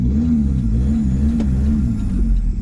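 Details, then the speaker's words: VW TDI diesel in a T3 van: a lumpy, wavering, misfiring drone with clouds of smoke before it died. The owner thinks inlet valves were open and a couple of cylinders weren't compressing. "it was like the inlet valves were open and if you heard the way it was cranking it was kind of it was uh it wasn't compressing on a couple of cylinders so uh that's why it died"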